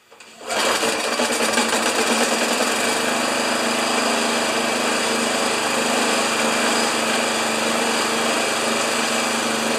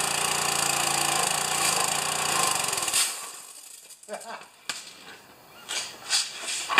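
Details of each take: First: Old Briggs thatcher mower started with dirty air filter removed, expected to smoke: small engine catches and settles into a buzzy, uneven run with a ragged beat; rough running attributed to dust-choked air filter. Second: Pressure washer engine run for the first time since last year, unloader working: small engine buzzes at a steady, even rate for a few seconds before shutting off, no misses or knocks; runs good.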